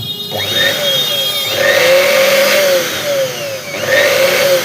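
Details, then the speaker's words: Old-model mixer grinder motor after fitting a new bush to replace the cut, noisy one: smooth high whine dipping and recovering in pitch with load, no rattle or scraping; the noise is completely gone. "और यहां पे दोस्तों बिल्कुल ही पूरी आवाज खत्म हो चुकी है मोटर की।"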